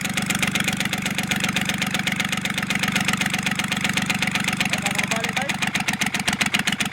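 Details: Kubota L1-255 tractor diesel knocking with white smoke; hard, even knocks about two or three a second at idle, growing sharper; cylinder head fault, fixed by replacing the cylinder head.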